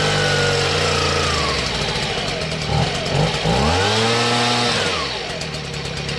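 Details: Stihl BG55 leaf blower two-stroke after new carburetor, fuel line and air filter base, half choke then full run: buzzy note dipping and climbing cleanly, no stalling or bogging; normal idle and run.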